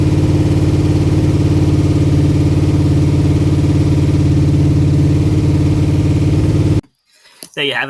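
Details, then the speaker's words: Holden VK Commodore with freshly built 355 stroker V8, first start: strong, even rumble held around 2000 rpm for cam break-in per manufacturer spec (about 25 minutes); started straight away with instant oil pressure, smooth with no knocks or misses; normal running. "Just went through and just ran the cam in to the manufacturer's specifications, which is about 25 minutes, 2000 RPM, and just fluctuating a bit up and down a little bit, keeping above 2000 RPM."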